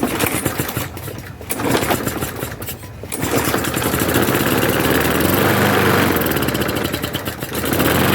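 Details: Trash-picked lawnmower pull-started after priming: small single catches and settles into a steady, even buzz with brief dips at first; running normally.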